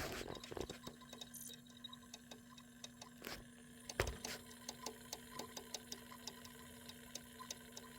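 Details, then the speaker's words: Sega CD Model 1 disc drive with a blown driver board: steady hum with sharp, evenly spaced ticks about three a second as it keeps seeking; it detects the disc but cannot read it. "oh yeah that sounds like complete trash okay so I think the best thing to do now is I'm going to tear it down"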